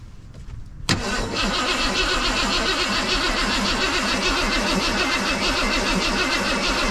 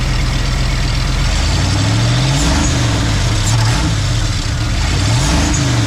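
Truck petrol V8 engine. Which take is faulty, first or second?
first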